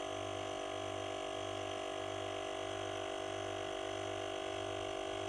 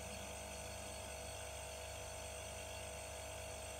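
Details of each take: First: Werther Sil-Air 15D silent airbrush compressor, refrigerator-type oil pump with 4-litre tank: steady low hum and even whine, then at about 90 psi cut-out a sharp muffled bang and fading hiss. Air-release burst at shut-off, now through an epoxy-sealed suppressor tube, no longer high-pitched. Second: Werther Sil-Air 15D silent airbrush compressor with a fridge-style pump: a quiet, smooth, steady hum, far quieter than piston pumps. It runs normally.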